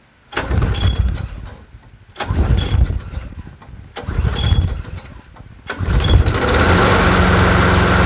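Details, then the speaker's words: Bolens 22-inch 4.5hp Quantum push mower, a free non-runner, started on a table after priming: three pulls, fires on the fourth and runs a smooth, steady hum without sputter; sounds not bad, though it needs an oil change. "actually don't sound too bad not bad not bad not bad woohoo"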